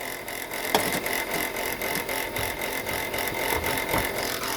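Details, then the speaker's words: Chrysler Pacifica (generation from 2004), engine running, noise under the engine area: steady high whine with faint irregular ticking; alternator bearing judged shot, pulley wobbling with brown residue around it. "From the looks of this and the sound of this, look like the alternator bearing is shot."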